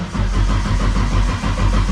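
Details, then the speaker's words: RB six-cylinder engine, repaired after being blown doing skids, primed and cranked to build oil pressure before first start; strong, even cranking with regular compression pulses on all six, no misses. "Oh, it actually sounds like six cylinders."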